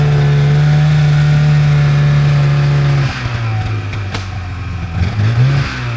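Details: 1997 Polaris Indy Trail Touring two-stroke snowmobile, resurrected with carbs cleaned and oil pump bled, stock clutching, test ridden on a lawn without snow: strong steady drone holds under load then eases off cleanly, no stumbling or clatter; normal running.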